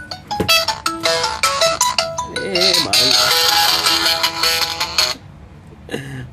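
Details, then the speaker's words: Xiaomi Mi Note 5 with fading ringer fault; ringtone harsh and crackly, louder notes breaking into a rattly buzz, ringer judged faulty and then replaced: distorted loudspeaker. "खराब हो गई है इसके लिए थोड़ी सी फटी फटी आवाज़ ए रही है"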